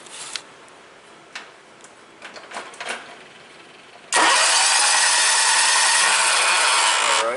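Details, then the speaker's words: 1998 John Deere 6x4 Gator with Kawasaki engine, crank-no-start: starter spins fast and perfectly even for three seconds with no compression chuffs; spark tester shows spark but compression gauge doesn't move at all, indicating no compression. "we definitely got spark there my compression gauge hasn't moved at all"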